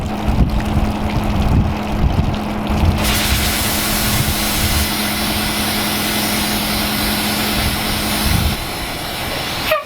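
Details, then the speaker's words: 1986 Ford dump truck, 36 years old, just revived, idling: sudden loud steady hiss of escaping air; broken air line losing pressure, brake light on, possibly too little air to actuate brakes. "oh sounds like we lost an airline or something for losing pressure and our brake lights on now"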